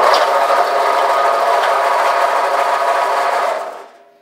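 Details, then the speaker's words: Harbor Freight 4x6 bandsaw, up to about 10 years old, running with a harsh, gritty roar and faint rough pulse that had become loud enough to need ear protection; the motor alone is quiet, so the noise is likely a worn bearing in the drive. "here's my harbor freight band saw that started to get really noisy recently i'll turn it on and you can hear what i"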